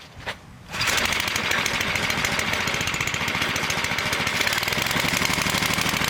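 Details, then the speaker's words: Engine started on fuel and choke during a homemade 12V generator test, no exhaust fitted: harsh rapid crackling bark and sharp raw pops at steady speed; missing exhaust muffler. "I'll run in and start the car, you'll hear it because there's no exhaust on it, so let's get this thing going."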